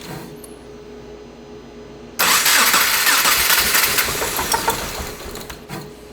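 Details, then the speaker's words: 2.5L-swapped first-generation Subaru Crosstrek after flashing a new tune: fires abruptly into a lumpy, irregular idle, sounding like excess air through the exhaust and the motor fighting itself. Knock sensor reading erratically; tune helped slightly, cause not found. "The knock sensor's kind of going crazy. It sounds like there's like a lot more air traveling through the exhaust than there should be. And it kind of sounds like the motor's fighting itself"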